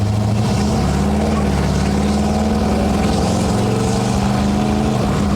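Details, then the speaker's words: 1970 Ford Falcon small-block after a 750 Holley carb swap, pulling hard under load while driving (it still needs a torque converter): the V8 drone briefly wavers and breaks up, then smooths out. The owner suspects it may be running rich but can't tell. "Little breaking up right there. Might be a little on the rich side. Can't tell."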